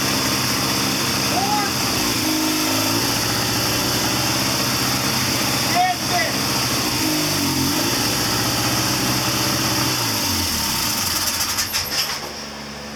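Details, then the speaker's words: 1979 Triumph Bonneville T140D Special twin, started after the seized clutch was freed. It settles into a steady, even idle with some intake rasp and no knocks or misses; the engine runs fine. "There it is. Mission accomplished. She runs."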